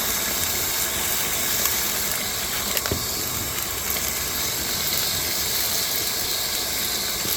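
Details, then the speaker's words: New cordless Ryobi 6-gallon wet/dry shop vac picking up a thick pile of gravel through the wand: steady high rushing hiss with light ticks of gravel; pulls strongly and evenly, normal vacuum suction. "okay that was a pretty thick pile of gravel that was pretty quick I'm impressed"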